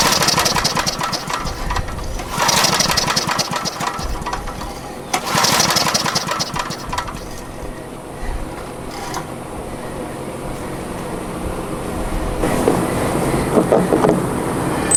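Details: Salvaged, years-abandoned Generac generator small engine, found with spark plug missing and water in cylinder and gas tank, carb sludge partly cleaned: catches in surges, fires unevenly about three beats a second and hunts; dirty carburetor suspected, not confirmed.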